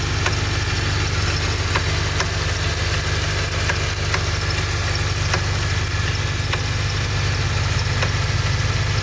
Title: Honda k24 strange knocking noise